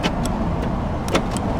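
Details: Short sharp clunks from the door lock motors, a pair near the start and another about a second later. The locks actuate normally once current is fed to the orange-with-white lock wire, which had no current.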